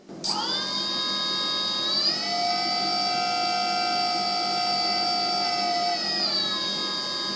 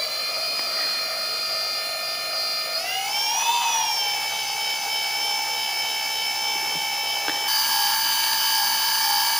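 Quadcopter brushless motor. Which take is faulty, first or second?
second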